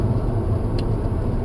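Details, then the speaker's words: 1988 VW Vanagon GL with a 1.8T turbo engine swap, driving: a steady low droning buzz like a swarming bee sits under the engine and road rumble, heard from the back right side; the source is not yet identified. "It's like a buzzy bee or something, is it? Yeah, like a bee is like swarming around your ears. That's what it sounds like."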